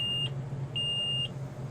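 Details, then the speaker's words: 2003 Forest River Georgetown Class A RV, 35,000 miles, LCI hydraulic leveling jacks with "all retract" held and all jacks already up: high steady beep about once a second; warning keeps sounding after a jack failure, cause unresolved. "you hear the beeping sound here that beeping sound and again I will prove all these jacks are up up Oh up there all up they can't come up anymore"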